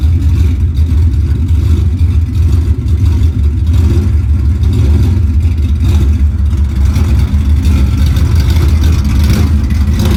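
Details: Ford Coyote V8 Mustang (10R80 transmission) with Comp Cams stage 2 cams at idle: a deep, choppy, uneven lope with no knocking. This is normal big-cam behaviour, not a misfire.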